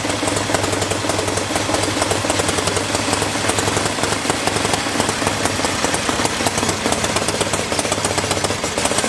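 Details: Freshly rebuilt Harley-Davidson V-twin motor on machine-shop test stand with carburetor, open pipes: loud lumpy beat with exhaust crackle, firing steady and even with no stray knocks; healthy run.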